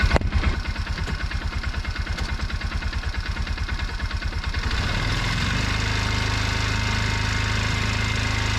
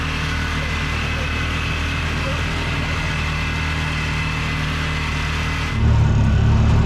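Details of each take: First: Bobcat 3400XL (rebadged Polaris Ranger 500), single-cylinder fuel-injected Polaris 500 with 30 psi at idle but only 10–11 psi key-on; in drive, brake-stood at full throttle, it thumps then drones flat without pulling up, starving from a suspected weak fuel pump. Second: Bobcat 3400XL (rebadged Polaris Ranger 500), single-cylinder fuel-injected 500, after rigging a replacement fuel pump giving 40 psi fuel pressure: steady drone deepens cleanly as throttle opens to floor, no stumble or cutout; normal full-throttle pull.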